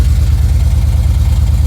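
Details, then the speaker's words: BMW E91 335i wagon N54 engine at idle after clearing a cylinder 1 combustion misfire code; deep idle with a steady low throb that keeps stumbling in a repeating rhythm, slightly better but still misfiring. Owner suspects the ignition coil: cylinder misfire from faulty coil. "even though it sounds a little better you can still hear that the car has a misfire just a little top you can hear the car has a misfire and from the way it's misfiring I I personally suspect that it's a coil"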